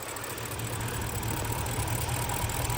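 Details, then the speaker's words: BMW E60 550i V8 idling slightly unstable and loping, misfiring mainly on cylinder five from a confirmed bad ignition coil; low on fuel, no vacuum leaks found. "So, finally got the car running. Got cylinder five mainly that's misfiring. Little low on fuel. Not too bad. It's running just a little bit unstable."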